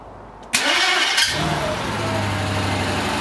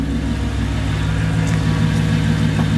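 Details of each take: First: Mercedes C55 AMG after a manual transmission swap, first start: harsh, unusually loud starter crank for about half a second before it catches and idles; starter loose because two mounting bolts through the transmission bolts were left out. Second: Mercedes C55 AMG V8 at first start after a manual swap and a long sit; exhaust cut before the diff, no secondaries, resonator kept, stock primaries. Deep, even burble with a slight swell in revs, no knocks or misses; sounds healthy.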